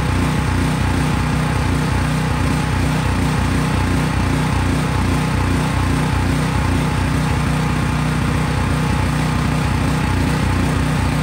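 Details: Craftsman 5000 W generator, bought around fall 2021, running outdoors after a cold start: small engine holds a steady, even beat at constant speed with no surging or stumbling; normal running.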